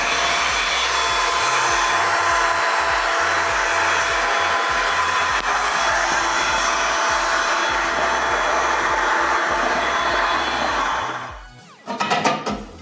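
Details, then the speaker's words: Window AC after home service and washing of condenser, evaporator and blower, running with a steady loud airy rush and faint tones; the fan is making an extra noise needing adjustment; cause not yet known. "Şu anda fandan da ses geliyor. Bu sesin gitmesi için biraz ayarlayacağız."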